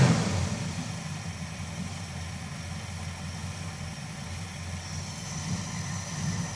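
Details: Engine misfiring at idle again right after an oil change, once a brief tick had gone as oil reached the system; low uneven idle rumble with irregular stumbles and dips in the beat.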